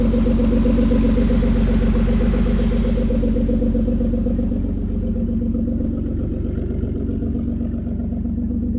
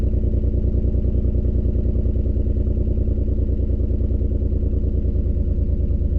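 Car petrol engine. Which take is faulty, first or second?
second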